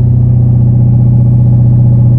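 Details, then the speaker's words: Jeep JK with a 392 Hemi V8 held at about 2000 rpm: a deep steady droning hum resonating in the cabin; the owner is adding Dynamat insulation and suspects a possible leak at the stock OEM flange gasket, unconfirmed. "Here, let's get it back up to 2,000 for you. So right around that range is where I'm getting some resonance in the cabin."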